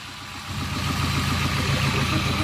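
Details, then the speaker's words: Engine running with a steady low knock pulsing through it, rising as it picks up a little; owner says it is rod knock and the engine is blown, discovered after installing a clutch, spare motor going in. "Last time I checked, that's what rod knock sounds like."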